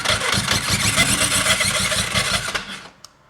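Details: Suzuki GS500 motorcycle start-up, mic clipped to the bike: a harsh metallic screech and rasp over the engine churn that cuts off as the engine dies, caused by the starter clutch bolt heads rubbing the flywheel rotor.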